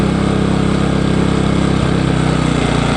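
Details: New Engel 2500W inverter generator, first run, Eco throttle being engaged before any load: low, steady putter near four beats a second, no surging or misses; healthy idle.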